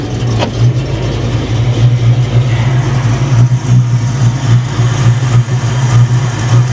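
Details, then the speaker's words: 1993 Ford Mustang GT Convertible from auction, sat about a week. A low, steady V8 idle with an uneven, loping pulse and small dips. It is idling rough; a cam is possible, and codes are to be checked. Cause unconfirmed. "this thing sounds like it might have a cam in it that usually means it's running poorly"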